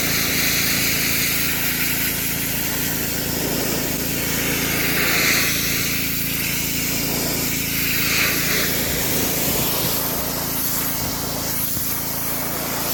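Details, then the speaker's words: DeWalt DXP3123 pressure washer with Honda GSV170 engine, pawn-shop unit with old gas and a missing air filter housing, after line purge: steady engine hum under strong, even water hiss, no surging or stalling; plenty of pressure, working normally. "woo oh all right so got plenty of pressure seems to be working good"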